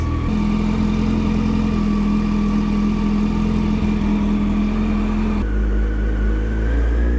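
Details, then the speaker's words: 2008 Yamaha FZ1 idling after oil/water pump and clutch replacement: steady mid-pitched whine over a fast even idle, constant pitch; engine whine not fixed, quieter once warm, possibly normal for this motor, dealer says not, cause unknown. "That's just weird that, you know, the noise gets quieter once it warms up. Typically, if it's like cam drive or something like that, it would get louder as it gets warm because everything in the engine expands with heat, so the toler"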